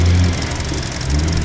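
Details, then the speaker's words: 2021 Hyundai Venue idling with the hood open: steady, even low hum with a faint light fuel-injector tick on top and no knocks or misses; a healthy smooth idle. "hear that good old direct injection ticking away eight fuel injectors guys"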